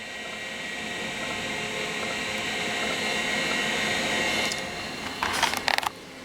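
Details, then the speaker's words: Compaq DeskPro 286 at power-on: the Seagate ST-251 hard drive spins up with a steady whir and faint whine, then a burst of sharp clicks. It is a rough-sounding but working spin-up. "but it did at least spin up you can hear again that is a Telltale sound of an st 251"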